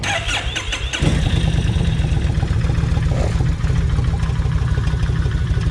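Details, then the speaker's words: Kawasaki Vulcan 1600 idling for five minutes on motor flush before an oil change, with rocker arms and lifters still tapping: lumpy idle with a loose, busy clatter. Owner says something is loose but has not found it. "now yeah there there's something loose right in here somewhere I hadn't found it yet"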